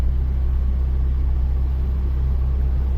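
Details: 1998 Mazda Protege 1.5L, warm, in gear: steady even low rumble, idle sitting just above normal (about 800), slow to drop, surging; MAF voltage stuck around 2.27 V, emissions monitors not setting; high idle.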